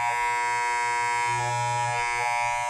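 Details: Wahl hair clipper runs fine bare but makes a hard, loud rattling buzz whenever a guard comb is fitted, with several different combs; misaligned blades knocking against the guard.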